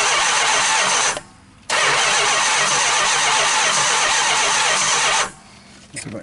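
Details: 440 big-block Mopar V8, first start attempt in 23 years: fast, harsh starter churn for about three seconds, pause, then churns again without catching; long cranking, engine won't fire.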